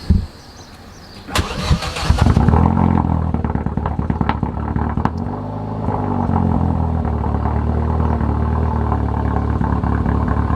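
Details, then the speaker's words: 13-year-old Vauxhall Corsa VXR, bought wrecked, compression test reportedly about 45 psi on cylinder 4, suspected piston problem: cranks and catches, then uneven lumpy idle with irregular stumble; misfire from low compression. "But the guy has had a compression test and it is low on P4. It's on like 45 psi apparently."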